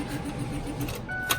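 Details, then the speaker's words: Ford F350 Cummins with a previously shimmed starter: starter catches for a moment then whirs freely at high pitch without cranking; pinion not holding the flywheel, owner suspects improper shimming or worn teeth. "so it like grabs for a second seems like it but sounds like a hair"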